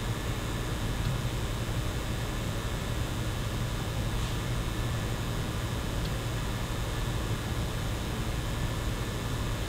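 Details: PlayStation 5 running a game with GPU at 100%; steady fan rush with a thin constant high-pitched whine: coil whine under heavy load, not dangerous but annoying.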